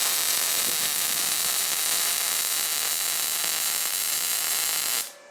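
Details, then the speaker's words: Firstess/Yeswelder DP200 MIG welder, 0.030 wire on 1/8 in steel, default settings with inductance turned to minus, pulse off: steady, fierce crackling hiss for about five seconds, then stops; harsh, violent arc from low inductance, weld still looks good. "That definitely had a violent sound to it. Hit a pretty weld. Still looks good, though."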